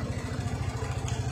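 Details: TVS XL100 BS6 after fuel pump replaced for cutting out while riding, fuel pressure now 40–45: small single-cylinder engine pulsing evenly and quickly, no stumbles or cutting out; runs clean and steady.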